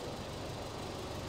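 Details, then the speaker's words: Rebuilt salvage 2018 Land Rover Discovery 5 idling with the engine cover off: a smooth, even low diesel hum with no knocks or ticks. Normal; it should be quieter with the cover fitted. "that sounds so lovely now as well and that's going to be even more quiet when we get the engine cover on there"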